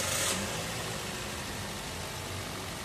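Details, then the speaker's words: Toyota Vios restarted after throttle body cleaning (dirty throttle made idle drop): brief restart burst, then steady even idle, no longer too low, no vibration; running smoothly. "O di ba mga boss, okay na itong sasakyan ni customer. Hindi na masyadong mababa yung minor niya at wala nang vibration."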